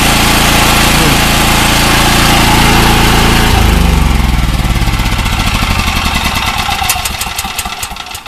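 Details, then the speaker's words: Gasoline generator after PRI-G fuel treatment and refitting the half-fouled original spark plug: starts and settles into a steady even drone with no surging. "well no surging how's that plug was halfway fouled up"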